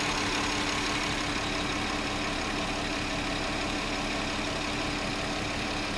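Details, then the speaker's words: 2009 VW Touareg 3.6 L at idle after sealing crankcase vacuum leak behind lean codes and rpm fluctuation: even settled hum with faint constant tone, rpm no longer hunting, fuel trims recovering; steady idle. "we'll let this run a bit I have no rpm fluctuation anymore"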